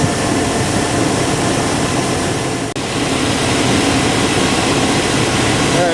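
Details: Chevy/GMC 5.7L Vortec V8 truck idling just after fuel pump replacement: a steady, even rumble that holds idle without stumbling. The pump is quiet and there are no leaks; the fuel supply is good.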